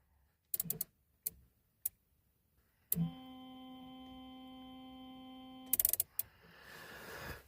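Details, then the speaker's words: 2002 Buick LeSabre, wipers switched on: a few switch clicks, then a steady low electric hum for about three seconds with no sweeping; wipers don't move, motor suspected binding or failing or something caught, unconfirmed. "So that sounds like the motor either binding or failing, but also the wipers aren't turning."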